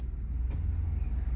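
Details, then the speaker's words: VP Commodore at idle after ECU replacement cured rough running and check engine light: steady low idle rumble, idle where it should be, one sharp click as A/C compressor clutch engages cleanly; normal. "heard it engage. That's what we want to see."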